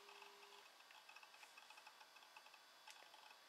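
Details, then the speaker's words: Macintosh PowerBook 180 running a hard drive taken from a 520c after its own drive failed: quiet, fairly quick light ticks in irregular clusters over a faint hiss; loud but ordinary head-seek chatter from a working drive. "maybe you can hear that loud hard drive"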